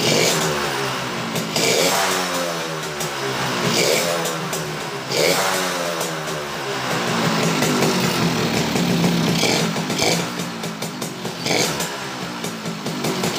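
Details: Suzuki Bravo (RC100) two-stroke after carburetor service and combustion chamber cleaning, revving up and down: rough rattle growing with revs; mechanic says connecting rod (stang seher) is knocking, replacement recommended, not yet done.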